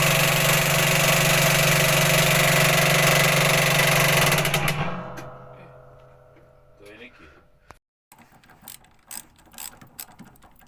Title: Commercial speed queen washer making banging noise when spinning/machine pulley problem detected